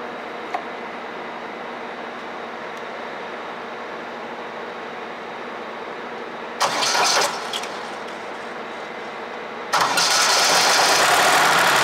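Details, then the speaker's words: Deutz 3-cylinder diesel, previously hard to start early mornings (diesel pump not pumping, bleeding difficult), restarted after a fuel tank modification feeding diesel by gravity: short crank, catches promptly into strong even clatter; normal start. "Now guys, I off the engine. You see, I start again. now it's okay, guys."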